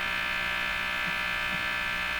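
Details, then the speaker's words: Philips Model 175 three-band tube radio on first power-up through isolation transformer and dim-bulb: constant high-pitched buzz over a weak, fading station; unwanted noise, source unfound. "wish we didn't have that noise let's try something here if I put the ground on some of that noise might disappear"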